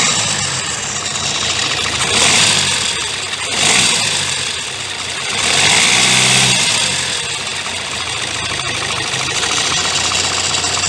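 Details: 2016 Kia Sportage 1.7 CRDI diesel, fully warmed, idling with the hood open and the phone close to the engine. A dry metallic clatter swells with small blips; timing chain rattle suspected. It persisted after the accessory belt and pulley were replaced and has worsened over time.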